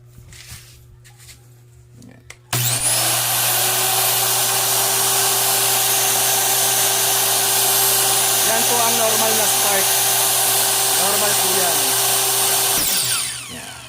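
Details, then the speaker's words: Repaired Makita LS1040 miter saw, one of three units: motor spins up instantly to a steady even whine without surging or rattling, then coasts down cleanly; normal good running condition. "So, yan po yung normal na good running condition po niya."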